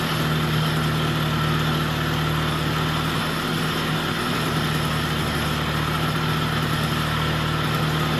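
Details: Vintage Jacobsen two-stroke greens reel mower, just revived with oil in cylinder and extra oil in fuel, old spark plug: steady even buzz at settled speed off choke, no misses or surges; normal running, governor still unsorted.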